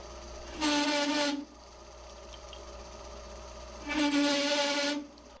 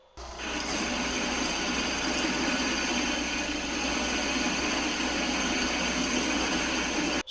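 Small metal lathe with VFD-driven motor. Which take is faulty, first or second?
first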